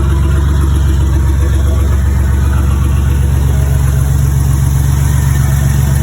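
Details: Turbocharged 4.3L V6 in an S10/GMC pickup (Psyclone-style build), just fired up before warm-up: deep, even idle with steady low rumble, sounds like a V8, no ticks, misses or rattles; normal healthy idle.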